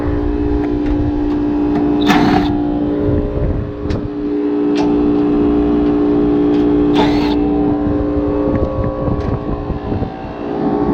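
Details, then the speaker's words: Rooftop AC unit that is not cooling, with a burnt contactor, an iced-up compressor and a frozen evaporator coil, and no condensate from the drain. The compressor gives a hard hum with a rough rattle and sharp clanks. Noisy iced-up compressor. "Fans on. Compressor doesn't sound right."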